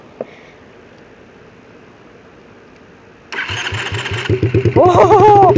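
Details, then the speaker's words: Quad (ATV) single-cylinder engine starting after internal engine checks and a hard-start no-start from suspected water in rain: starter cranks about three beats a second, then fires and settles into a fast idle; motor not blown up, normal start. "okay yes the motors not blown up"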